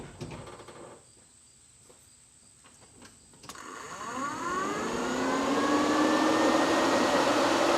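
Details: C10 truck being fixed for overheating, one electric cooling fan rewired through a single relay with new fuse holder, key on: click, then fan spins up with rising whoosh to strong steady rush; runs better, normal.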